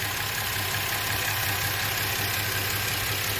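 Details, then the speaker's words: Warm engine with very high ignition timing, compression gauge fitted to one cylinder (about 50 psi at idle): uneven loping idle pulse about three beats a second over steady drone, running on five cylinders; dead cylinder misfire. "now right now we're running on five cylinders of course"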